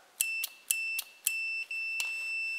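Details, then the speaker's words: Race car replica (R5 Maxi) start/stop button wiring tested with a multimeter in continuity mode: sharp relay clicks each with a high beep, then a steady tone; relay switching and closing contact properly. "quand je vais appuyer sur start stop vous voyez bien que la salle jules on entend le relais qui claque"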